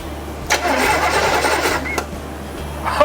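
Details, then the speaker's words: 1986 Chevy C10 with replacement small-block 350, first crank through a push-button starter with no distributor installed: starter spins the engine briskly and evenly, no dragging or clicking; normal, strong cranking. "oh yeah she's alive boys and girls all right she seems to be starting strong"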